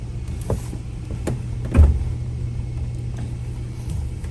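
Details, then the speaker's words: CanyonStar hood latch, repaired after it failed to release reliably: over a low engine hum, light ticks, then one solid clunk as the latch releases properly when the release handle is pulled. "yeah i heard i don't know if you heard the clunk but i heard the clunk which sounds like it's unlatched"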